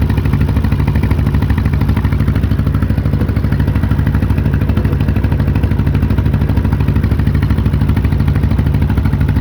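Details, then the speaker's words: Case CK 530 tractor misfiring: even low thumping at about 150 beats a minute with a lumpy beat; a valve was found stuck down and not opening, killing that cylinder. "there that ain't supposed to do that it's not open and closing the Exploder hole thing is though what the hell happened this valve is just down good lord"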